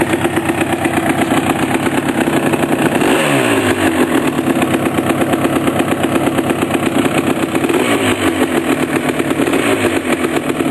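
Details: 1988 Suzuki LT250R two-stroke at first start after a complete engine rebuild: crisp idle, then clean revs rising and falling smoothly without knocks or misses; normal running.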